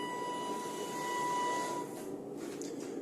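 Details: 2021 Bailey Pegasus Grande Messina caravan motor mover moving forward, backward and turning: steady electric whine with a thin high hiss that holds level, then fades; the mover works normally.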